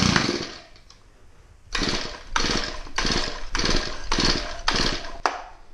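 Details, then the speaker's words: Shindaiwa/Echo-type two-stroke trimmer with suspected carb issues, owner suspects old blue oil and switched to Shindaiwa Red Armor: revs in ragged bursts about twice a second, dropping off between, surging and bogging; cause unconfirmed. "My Weedeaters seem pretty sluggish and stuff like that."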